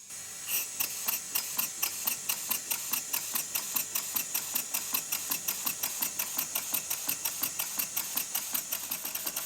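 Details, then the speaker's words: Model steam engine on compressed air after the slide valve fix, sitting on a soundboard over Scotch-Brite and tested at slow speed: quiet crisp, evenly spaced ticks about four per second, smooth. "the difference is astounding the engine runs much smoother much faster more evenly and it's quiet when I lift up my soundboard it's not noisy at all"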